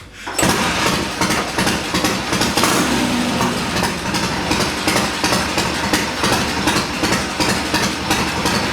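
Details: Triumph bobber build cold start after several hours off, ridden a couple hundred miles, carb needle drop and head bolt retorque planned: catches immediately, settles into lumpy but steady fast idle with even pulses; healthy.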